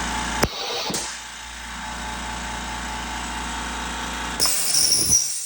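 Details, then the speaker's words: California Air Tools 20020AD quiet air compressor starting: brief start-up hiss from unloading to cut starting amperage, then a quiet, even low hum quiet enough to converse beside, hiss again near the end; normal running. "I can stand right next to it and have a conversation, and it's not blowing out my eardrums."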